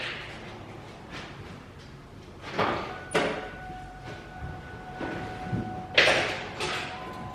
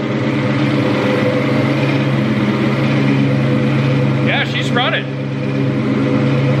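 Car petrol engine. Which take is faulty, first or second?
first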